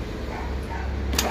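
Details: Isuzu starter motor from a jeep, on the bench after repair; it had only spun without kicking the pinion when fed through the solenoid. Now a short steady whir with a sharp click as the pinion throws out: engages properly.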